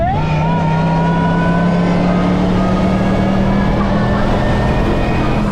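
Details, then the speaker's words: 2024 Nissan Patrol Y62 V8 with Harrop 2300 supercharger, tuned to about 424 horsepower, PDC airbox and snorkel, ceramic-coated headers, cat delete and 3-inch exhaust: clear supercharger whine rising with revs over a smooth V8 rumble, normal. "And this has been tuned to make about 424 horsepower and sounds absolutely insane through the snorkel. You can hear it like a whine."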